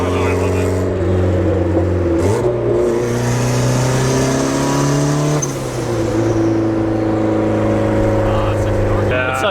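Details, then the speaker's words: Full Send turbo Honda Civic with new custom exhaust and fender exit, running rich: revs climb and hold then fall with a rush of air, turbo spool, wastegate dump and blow-off valve venting together. "such an orchestra of sounds. The fender exit, the wastegate dump, and the blow-off valve all at the same time, and the turbo spool. It's literally an orchestra."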